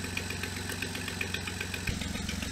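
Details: 2007 Jeep Wrangler JKU Rubicon, first start after three years sitting, oil topped up with 5W-20, three-year-old fuel: quick regular light ticking, about seven a second, at cold idle; owner suspects an exhaust leak that may go away once warm.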